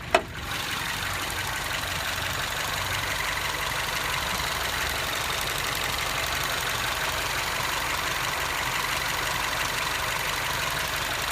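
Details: 2010 R56 Mini, about 52k miles, warm after a 45–50 minute drive, just after its first spark plug change (coils had some rust): steady idle with a light, fast ticking through the top-end clatter. Cause unknown; owner is worried.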